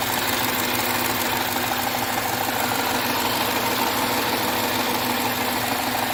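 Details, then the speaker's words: 2013 Jaguar XF 3.0L AJ126 supercharged direct-injection V6 after engine rebuild with timing chain kit, no fuel leaks seen: even, steady idle with light quick injector tick, no misses or knocks; sounds good, normal idle. "I like it I think it sounds good"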